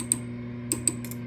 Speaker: are not happy. It's Class A. These are all mechanically noisy and microphonic, and this one in particular.